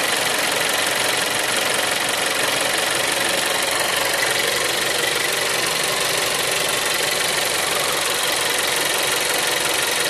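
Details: Seat Leon 3 (5F) TSI 140 petrol at idle: busy, fast ticking clatter about four per second over a hissy top end; source unclear.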